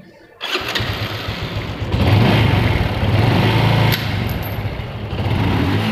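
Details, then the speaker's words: Honda Revo fuel-injected, misfiring (brebet) before repair, running after the spark plug was replaced: starts at once and settles to an even, steady idle with small throttle blips and no misfire; normal start and idle. "dan ternyata motornya normal teman-teman kita lakukan pergantian menggunakan busi second ya yang nilai resistansinya itu di bawah 4 Ohm ataupun 3M untuk motor matic yang sudah brebet ternyata motornya normal dan mau stasioner teman-teman ya mau stasioner"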